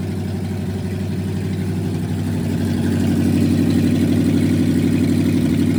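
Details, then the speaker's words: Junkyard 1969 Chevy C10 V8 with carburetor, thermostat and water pump fitted, just fired up: idle with a slightly lumpy, uneven pulse that swells midway; owner suspects the ignition timing is off, not yet set. "Definitely needs some adjustment, but uh man, that ABS2 carb just fires right up. Um I think the timing is off."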